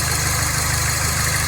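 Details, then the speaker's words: Mini Cooper S idling after a second high pressure fuel pump replacement cured a crank-no-start; steady even low beat, slight hiss, no misses or knocks; actual fuel pressure now close to target. "let's see if it starts sounds better after it was taken over for a couple of minutes and it suddenly started sounding even better"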